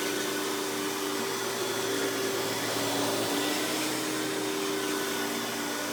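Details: Hoover PowerMax Supreme 850 S3609 canister vacuum from the 1990s, non-original hose, revved to high speed with power brush on: steady even motor roar, constant high tone, faint brush hum, no surging or rattles; runs very smooth though not the quietest; normal running.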